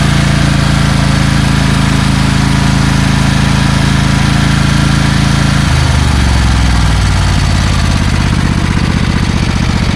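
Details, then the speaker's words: Craftsman/Rally (AYP) push mower, Tecumseh Eager 1 engine, mowing a rear lawn on a hot day just after an oil change: steady drone sags in speed midway; vibration makes the throttle drop, muffler smokes, owner suspects bad rings. "so it kind of smokes out the muffler which means the rings are probably bad and also after a while the vibration makes the uh throttle go down"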